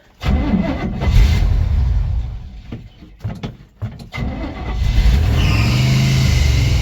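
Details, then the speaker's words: 1983 square-body Chevy wrecker, V8 said to be a 350 (owner thought a 305), carburetor believed to need rebuilding, electric choke wide open. Fires up quickly, revs, dips briefly, settles into a deep steady rumble. Normal start and run. "Don't that sound good?"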